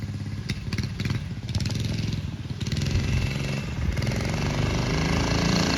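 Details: Early-1970s Pacesetter Trailbuck mini bike, single-cylinder engine under load on a ride after replacing a failed torque converter and re-setting it for jackshaft use. Putter picks up and pulls smoothly as revs rise, no slipping or clatter, drive working properly.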